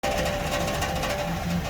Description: 2013 Sienna rattling noise caused by the almost detached heat shield located over the muffler. Three out of the four holding points were broken, causing one end of the shield to fall on the muffler, resulting in the rattling noise due to the vibrations of the muffler when the engine is running.